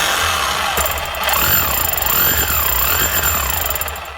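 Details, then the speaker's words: Makita HR3540C corded rotary hammer, brush-wear light flashing: fast, harsh hammering under a rising and falling whine; sounds rough, motor ruled out, bearings or gears suspected. "Right, it's not a motor, but it's either bearings or gears. That sounds fairly rough."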